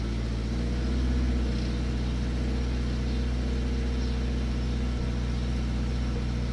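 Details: Toyota GT86 at cold start: light, quick metallic rattle over the engine's steady idle hum; source of the cold-start rattle not identified.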